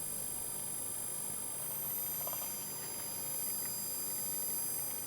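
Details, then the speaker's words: Computer power supply standby circuit, main supply not started, light load of a 6.3 V bulb: thin steady high-pitched whistle whose pitch changes with load. "Вот нагрузочка небольшая, лампочка на 6,3 В на дежурке сейчас висит. И вот он, зараза, такой свист издаёт."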